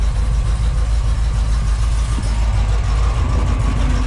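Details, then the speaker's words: 1978 Ford Bronco, freshly rebuilt matching-number 351M V8 with Comp Cams 284HR hydraulic roller cam, new engine burning off, good temperature and high oil pressure: deep steady idle, mild cam lope, no knocks or ticks; healthy. "'s just been fully rebuilt with the big roller curb can't sleep this is what it's going to sound like in the curb"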